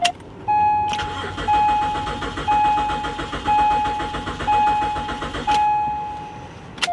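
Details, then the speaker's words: BMW 325ci, 73,000 miles, left sitting, cranked on a booster pack: starter churns about five seconds with a chime but never fires. Owner suspects rotten gas. "Well, ladies and gentlemen, I don't think this one's gonna start. Nah. It sounds like it's trying, but I would almost be willing to bet the gas in this is rotten."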